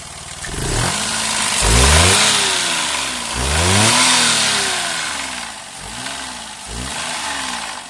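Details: Daihatsu Move Custom L175S engine making an abnormal noise: revs rise and fall with a harsh, high-pitched scream riding over the engine note while running; cause unclear.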